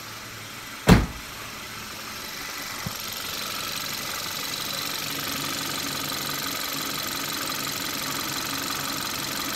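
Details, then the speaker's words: 2014 Kia Rio 1.6 after crankshaft position sensor replacement: a brief start-up burst, then a smooth, steady idle with no misses or stumbles, starting much better with a working RPM gauge. "definitely starts a whole lot better RPM gauge is definitely working"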